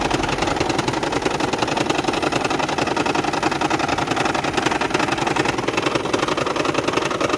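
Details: 2010 Toyota Prius hybrid, recorded by the customer while driving: the engine rattles, shakes and misfires with an uneven beat of about three a second and nearly stalls, with no DTCs stored.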